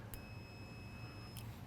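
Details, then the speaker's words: Testing the diode board from a BMW airhead motorcycle with a digital multimeter: a steady high beep for about a second, then silence; continuity, so the diode conducts in that direction. "but we can also try on this one to let's use something a little more modern that makes noise."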